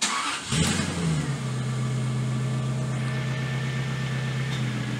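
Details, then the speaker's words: Jaguar XK8 first start after replacing ignition coils and resealing leaking valve cover (oil had reached cylinders 2 and 4 plug ports): engine fires promptly, a little smoke, steady even idle without misfire; idling really smooth. "definitely idling really smooth"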